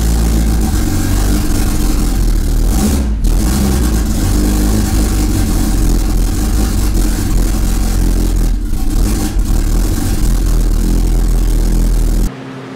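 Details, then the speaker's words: Honda Civic wagon, D16Z6 build with turbo setup, first start after about two years sitting: steady but uneven, lumpy drone with some clatter. Rough running; the downloaded base map had about 0° idle timing, and raising it to about 21–23° improved idle. "but for some reason this base map that I downloaded it out like zero degrees in it at timing on idle which doesn't make any sense"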